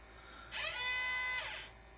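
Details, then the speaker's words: Garage-sale Mac SE being restored, 800K floppy drive reassembled with eject-motor gearbox gears realigned; a non-Mac disc inserted is rejected, then a thin high motor whir spins for about a second and winds down with no eject click; unclear whether it is trying to eject or re-reading. "Um, I don't know if it was actually trying to or if it just kept trying to read over and over again. Um, I don't know what quite that sound was, but at least for now, we'll be we'll uh be having to use the manual eject probably, but we'll see."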